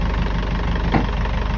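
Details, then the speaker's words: Engine just started, service batteries below 13 V and engine battery not charging: slow, lumpy low idle rumble with steady beats; idle probably too low to charge, charging began once cranked up. "this is our engine battery not being charged also probably because the engine is not turning enough"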